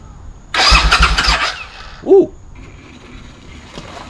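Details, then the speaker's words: Barn-find Suzuki Intruder motorcycle, about 20 years old with 18,000 miles, cranked without carburetors or fuel tank fitted: about a second of quick, even, free-spinning cranking with no firing, and gasoline sprays out, but it cranks normally. "that wasn't a good thing to do just got sprayed with uh gasoline all in my crotch don't do that at home that was stupid but we know it cranks that's a good thing"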